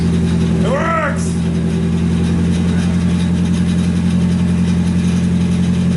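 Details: Nissan 240SX S14 just swapped to an SR20DET, first start after fixing a half-plugged fuel pump connector and now warming up to purge coolant air: steady, even idle with smooth low hum, brief early chirp, no knocks or misses; normal idle.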